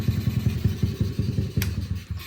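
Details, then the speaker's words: Honda NAVI carbureted engine, about 280 elevation, no air leaks; after a throttle blip revs hang off throttle with putt-putt pulses, then slowly drop; idle hang caused by misadjusted fuel/idle mixture screw. "That is a fuel screw issue. All right, so I am pleased to announce that I figured it out. It was a fuel screw issue and an idle speed mixture screw."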